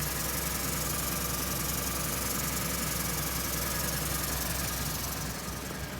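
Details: 2013 Ford EcoBoost truck, 86k miles, which started with a small coolant leak: at idle a quick, somewhat uneven ticking, roughly four a second, over an on-and-off rough growl; cause unknown.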